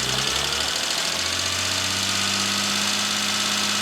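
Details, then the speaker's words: BMW M3 E46 S54 engine held around 2000–2500 rpm: dense metallic rattle/clacking from VANOS hub play; a slight clack is also present at start-up. "On entend vraiment que ça claque. On ressent vraiment l'entretoise qui fait ça dans son axe en fait."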